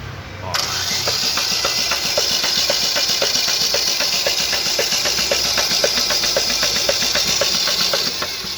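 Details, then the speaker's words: Chevrolet Corsa/Celta petrol engine started on the starter fires up and settles into a sharp regular knock about four a second from down low; rod knock, connecting rod found with excessive play. "Barulho estranho batendo, né? A gente vai tirar o kart aí pra ver que barulho é esse."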